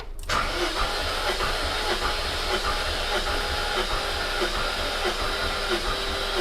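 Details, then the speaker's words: High-mileage supercharged S62 V8 BMW E39 M5 compression test, cylinder reading 175 psi: steady, even, strong cranking about 1.5 beats per second; normal cranking compression. "So that was 10 just there. Battery's just leading it that little bit longer. It does definitely take faster."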